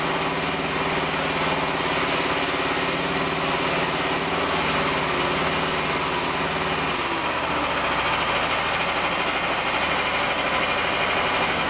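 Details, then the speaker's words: Small diesel feeding a repurposed hydraulic pump used as a motor for a mini-excavator mower, with no load: steady, busy clattering drone with a hard-working note. The motor restricts the oil flow; owner may need to bypass or cut back the flow. "Well, it definitely restricts the flow some. Even, you know, there's no load on it or nothing."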